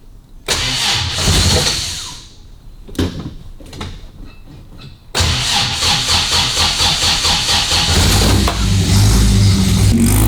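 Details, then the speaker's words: 1955 Austin Healey with H4 SU carburettors, before carb strip-down: cranks and catches, then runs lumpy and uneven with popping and spitting under heavy throttle; badly out of tune, either too lean or timing. "As you can hear, it's miles out of tune. So, I mean, that's giving it loads of throttle just to make try and make it pick up, you know, spitting out the car, which is either too lean or the or the timing."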